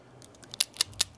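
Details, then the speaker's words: Old crankcase pressure (PCV) valve from a 5.7 Hemi, removed at a 100,000-mile service and shaken by hand: four crisp light rattles about five per second; check ball moves freely, not gummed up, valve still good. "a lot of times what will happen is they'll gum up and that ball inside there that ball valve won't move anymore and that'll cause your crank case pressure to build and it won't vent properly this one still sounds good"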